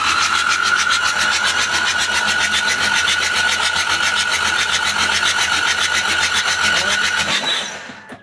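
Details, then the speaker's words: Mitsubishi 4DR7 diesel that won't start after one day on standby: even cranking near four compression beats a second, never firing; an injector line clogged again, rusty pipes suspected, replacement suggested despite cleaning. "Yan na naman problema. Nagbaraos na gumana na. Ito yung nagiging dahilan ng tubo siguro."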